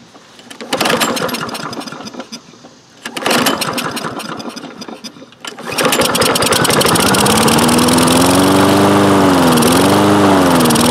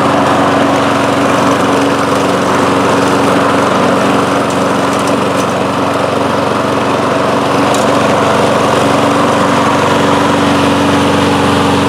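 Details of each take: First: Toro Recycler mower with Kohler engine, sat unused for some time: after a couple of pull-start tries it catches and hunts up and down; surging improves holding throttle open or closing choke, suggesting lean running. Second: Toro Recycler mower, Kohler single-cylinder engine, after fitting a replacement main jet from an aftermarket carburettor: steady even drone, no speed swings or surging as before; normal running.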